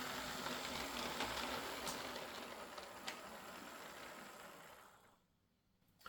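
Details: Old Lima Class 40 model locomotive in BR green, front-bogie fault fixed by fitting a complete replacement motorised chassis: quiet, even motor hum with light steady rhythm, no catching or buzzing, fading as it moves away; runs smoothly.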